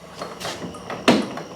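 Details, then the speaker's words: 1964 Chevy Nova, first time back together in years, dry washer reservoir: few sharp, uneven clacks in under two seconds as the old mechanical windshield washer pump cycles; pump working. "And this button right here is what does the windshield washer. And it's like a clickety-clack pump."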